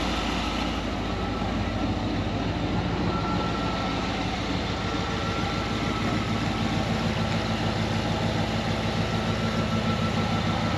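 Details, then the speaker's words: Ford Econoline 302 V8 after replacing bent #5 intake push rod: steady, even idle, no more clatter from number five cylinder, just slightly rough while computer is in open loop and oil burns off manifold; runs much better than before. "runs a lot better than it did before i'll say that man sounds good"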